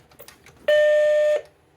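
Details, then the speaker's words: Macintosh Plus during restoration, first power-on with the shield still off: a single loud, clean, steady startup chime under a second, no crackle or warble; normal. "whoa that was loud"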